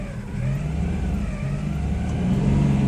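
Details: 1997 Geo Metro: idle sits high and slowly surges up and down without settling; began after fiddling with the throttle position sensor and a fuel-system treatment, owner suspects the TPS.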